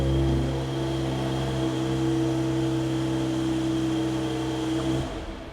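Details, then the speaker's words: Mercedes GLE53 AMG engine first start after full rebuild of blown engine, reinstalled with exhaust manifold and airbox: fires instantly, barely any starter noise, then smooth even running with clean steady tone, no knocks or ticks before shutoff; healthy. "Like I said, it's weird. You don't even hear the starter motor. It just fires up like clockwork. Boom."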